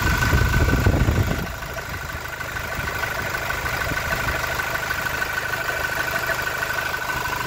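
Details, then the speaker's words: Toyota Innova Reborn diesel at idle with the oil filler cap removed: steady idle with a soft, even thumping from the open filler neck, about three per second; normal, only light vapour escapes. "Nah buiungungung ya itu normal ya"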